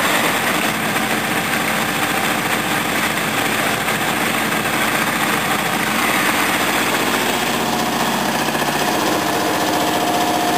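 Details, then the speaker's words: Mower engine, Briggs 14 hp OHV V-twin or Honda 13 hp OHV, after fuel was turned back on: even steady idle with no misses, knocks or surges; running properly. "turn it on runs fine this one here right at the moment so do a little demonstration this one working properly now"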